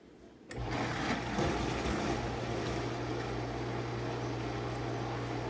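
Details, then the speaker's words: Whirlpool Quiet Partner 2 dishwasher after clearing clogged filter screen (chopper blade broken, awaiting replacement): motor spins to steady low hum under strong, even water rush, top spray arm now at full output; wash pump running normally. "sounds like it should tons of pressure before it was barely before when this unit would run it would just barely shoot up any stream"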